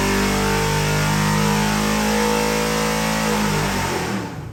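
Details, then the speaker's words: 675 hp 7.3 L Godzilla V8 crate engine for a '69 Ford Mustang on a new dyno, break-in: deep steady rumble with an even big-cam lope at idle, holding speed cleanly before cutting off; healthy. "This thing runs absolutely fabulous and it's got a real nice chop to it."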